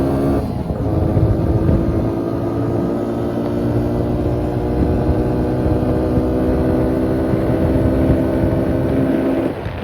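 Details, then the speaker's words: 2000 Suzuki Quadrunner 250 4x4 with 603 miles, after it sat about 2 years, with the airbox lid back on: an even, steady single-cylinder beat with a smooth exhaust note and no misses or knocks. Running normally. "I still gotta put the air box lid and the air filter. It'll run way better like that. Lid on there, started running really good."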